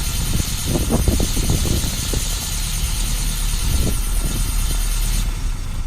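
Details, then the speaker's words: 1972 Lancia Fulvia with original Solex carburetors, cold start after sitting, not warmed up, a little choke on: low steady idle with an even beat, slight raspiness from the choke, no stumble; idles nicely. "I didn't even warm it up, so need a little bit of choke to get started, but you can hear it just idles nicely."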